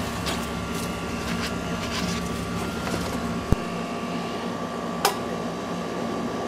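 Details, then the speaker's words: Central AC condenser after a bad capacitor was replaced and the disconnect reinserted: only a steady fan whir and faint hum, no compressor start. A continuity test across common and run is open and the compressor is hot: it is out on thermal overload. "ooh steel no compressor not a good sign I hope it's not out on thermal overload"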